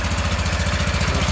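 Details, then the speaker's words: Restored Wheel Horse garden tractor with electric fuel pump, started cold on choke in snowy weather: even, steady single-cylinder thump at fast idle, no misses or knocks; electrical system wonky but starts and runs. Normal running. "the electrical system is wonky but it's enough for it to start and run so that's all i really care about"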